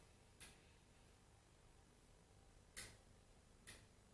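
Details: Ankuoo smart Wi-Fi light switch module, controlled from its app while keeping existing wall switches and deviators: three crisp, isolated ticks a second or two apart over a quiet room as the light toggles on and off; relay clicking cleanly.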